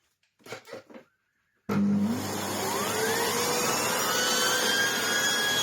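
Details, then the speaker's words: Old red Sebo C2 Total vacuum, previously lacking airflow with a lackluster turbo head: motor starts with a rising whine settling into a strong steady roar and smooth brush tone; much happier now, owner thinks the only fault was lack of airflow; normal running. "it's a bit better now. It's actually a fair bit happier now. Literally, I think all that was wrong was just the lack of airflow from the machine."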